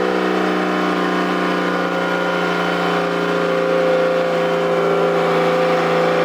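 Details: Toyota 7M-GTE straight-six (MA70 build) after a four-month rebuild, no exhaust, intercooler bypassed, no idle air control valve. Loud raw steady drone with an even buzzing rasp and no misses at high idle; normal running.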